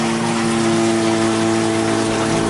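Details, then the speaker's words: Toilet cistern refilling after flush: loud steady droning hum over rushing water lasting until the tank is full, from a worn 32mm float valve diaphragm washer, noisy for months. "my toilet has been making a crazy amount of sound for months now and I'm not really bothered looking at and just recently I thought I need to fix this now it's just crazy how much noise it makes"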